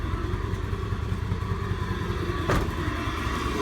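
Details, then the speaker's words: 1988 Acura Legend, first start after sitting 10 years, with a used ECU and new fuel pump: lumpy, uneven idle with irregular low thumps, shaking the whole car like a tractor. Running rough, likely misfiring; owner wonders if something like an acorn is bouncing inside. "thực sự thô động cơ rung toàn bộ xe rung âm thanh giống như một máy kéo có thể là một acorn hoặc một cái gì đó nảy xung quanh trong đó"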